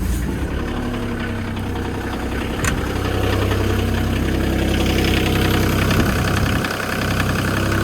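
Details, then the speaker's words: Develon diesel excavator started just after a service, run to check for leaks. It catches at once and settles into an even, steady idle with no misses or knocks, a healthy start. "Right then, service complete. Fire it up, make sure no leaks. Should kill straight into life, shouldn't it? Yes."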